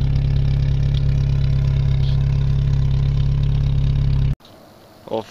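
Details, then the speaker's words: Jeep YJ cold start in winter, wet with ice and snow, after being parked about two weeks; it is usually hard to start after a week. Steady, even idle with a low drone and no ticks or stumbles until shut off; a healthy engine. "You seen the Jeep run, she runs, starts right up. I'm actually surprised how good she started, considering it's usually a bitch to start if it's at any more than a week."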